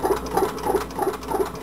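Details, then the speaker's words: Homemade tin-can Stirling engine, only about 7–10 pounds of pressure on its piston: soft even double-beat chuff about three times a second, too slow. Displacer crank lobe is too short for full travel (adjuster tube slipped); a wider piston is planned. "I'm only getting off anywhere from seven maybe ten pounds of pressure on that piston up to the crank and that's what it's running on this should run a little faster than it is"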